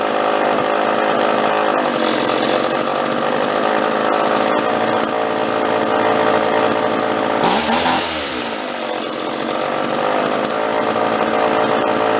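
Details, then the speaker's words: Vintage John Deere chainsaw: held at constant full throttle, it howls then sags and recovers, revving up and dying, as if starving for fuel; owner suspects the carburetor needs a kit. Unconfirmed. "It's got a little bit of it's oscillating. It sounds like it's actually stalling for fuel a little bit. It'll rev up and kind of die, rev up and die. And I'm not letting off the throttle. I'm just staying constant on it."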